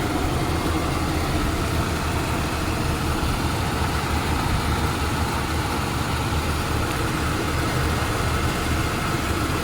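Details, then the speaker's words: 80s Lincoln Town Car V8 after deleting the malfunctioning smog equipment, ports capped and plugged: even steady low rumble, no misses, knocks or ticks, healthy; owner says it runs as good or better without it; normal idle. "Runs just as good, if not better, without it."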